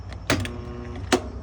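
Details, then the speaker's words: Whirlpool/Kenmore top-load washer with missing lid switch, set to drain and spin. A couple of sharp clicks, then a low steady hum with no speed-up. Timer and bypass give power and the motor gets power but won't turn; drain pump to be removed to check. "Okay, it's humming. That means the switch is good. Well, the bypass section is good. Timer is setting power. Motor's getting power. Motor's not turning."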